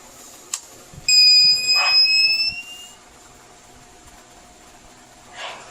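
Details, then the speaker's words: TBE 2000 W power inverter with no output, under repair while checking the MOSFET gate signals on a scope: a shrill steady tone for about two seconds, then it stops, as the inverter trips into protection again. "O minsan yan hindi na siya nag hindi na siya nag-alarm kasi nga na-detect na niya pero ito yung signal natin dito yan nag-protect na rin ulit."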